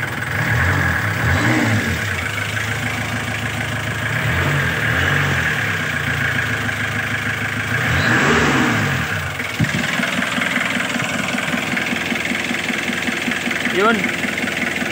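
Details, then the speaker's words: Kia Bongo 2 diesel after fixing a hard start caused by glow plugs/heater not working (heater sensor checked): it started on one click, idles with an even clatter and revs cleanly through throttle blips with no misses; RPM fine. "Y one click mga katambalan solve. So okay na gana lahat RPM."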